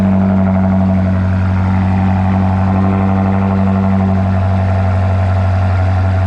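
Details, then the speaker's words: BMW F95 X5M just fitted with a Dinan muffler and blast pipes, cold start before warm-up: deep, steady idle with even low burble, no knocks, ticks or misses. Normal cold start idle. "all right we we'll let her warm up and we'll probably get a clip of the guy ripping it out of here oh yeah that'll probably be the next thing oh yeah sounds nice"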